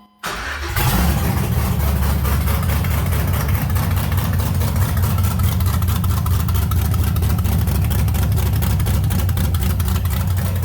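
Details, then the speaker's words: 1989 Chevy S10 Blazer LS swap with LS1 intake, untuned, first start after aftermarket camshaft install: engine catches and settles into a deep, choppy, uneven lopey idle. "yeah that's what I want my cam to sound like good choppy idle"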